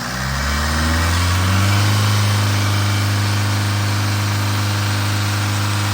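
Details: Tata 2.2 diesel 150 hp pickup after rebuild (crankshaft, bearings, oil pump, timing belt, new fuel tank) and injector coding: steady even low idle rumble, no knocks or misses.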